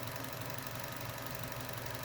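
Quiet, steady idle with only a faint light injector tick underneath; no rattle or knock, the engine sounds healthy.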